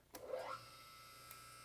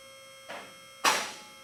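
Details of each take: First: Car lift power unit with full oil reservoir, pumping oil from the tank into the main cylinder. The electric pump whirs up quickly, then settles into a steady, even hum with no grinding; normal pump run. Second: Car lift on its first run to the top, before any adjustment: over a faint steady hum, the safety locks click through each hole out of step, two clicks about half a second apart; locks still need synchronizing.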